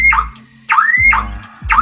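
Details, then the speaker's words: Daihatsu Ayla with a dead remote, door unlocked manually with the key: factory alarm sounds nonstop, a sweeping electronic whoop about once a second, and the engine will not start. "jika hasilnya teman-teman alarm akan berbunyi terus tidak henti-hentinya mungkin disebut pada saat Inilah kita semua akan merasa panik dan bingung"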